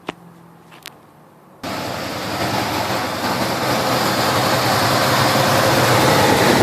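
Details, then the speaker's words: 1971 Chevelle 350 V8 misfire: lumpy idle with a regular stumble about three times a second; after replacing parts, number one spark plug still wet, others firing; zero compression on cylinder one, one cylinder dead. "so we've changed everything and the number one cylinder the spark plug the spark plug was still wet and all the others were not all the others are firing nicely"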